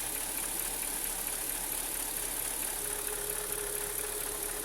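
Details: 2003 Mercedes-Benz S430 V8 warm at idle, about 80 °C, oil pressure down to about 15 psi: light quick top-end ticking over hissy background; owner suspects link to low warm oil pressure, unconfirmed.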